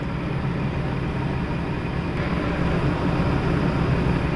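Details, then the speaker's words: LG Dual Inverter window AC (LA100EC) after a bearing repair cured a shrill cricket-like chirp that began after 10 months: only a steady, even low hum and airflow rush, no chirp or squeal; normal running. "Pero ngayon, na-repair na siya, bearing lang yung katapat."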